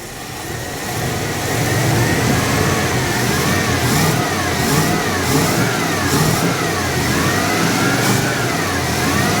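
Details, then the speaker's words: Cold 5.9L Magnum V8 in a 1980 Dodge W200 with Holley 600 cfm 4-barrel, after power valve and jet changes: revs hesitate and bog just above idle; off-idle stumble. "it's got an off off idle stumble now so I think now I got a baseline to go from"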